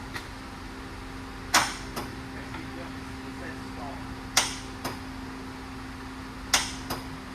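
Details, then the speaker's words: 1974 Mercury Comet (Ford Maverick) with a 5.0L Coyote Procharged swap, just fitted with a new starter on the first start attempt. Single sharp clicks every two to three seconds over a quiet hum with no cranking; kill switch/breaker suspected. "Starter's clicking. What do you mean that's what I was doing last night? We had it actually turning over yesterday."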